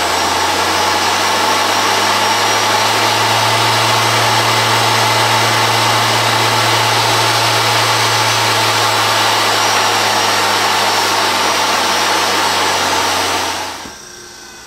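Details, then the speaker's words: Treadmill motor with resistors added to speed potentiometer, cranked to high end without tripping emergency stop: steady even mid-pitched hum, no surging or catching, then winds down; normal high-speed running. "also we've saved of the high end here so if you want to crank it you can crank it without hitting that emergency stop"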